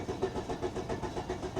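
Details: Car probably sitting about six or seven years, 131,854 miles, charged battery, cranking: even, brisk cranking at about seven compression beats a second, but the engine never fires and the tach doesn't move; crank no start, cause unconfirmed.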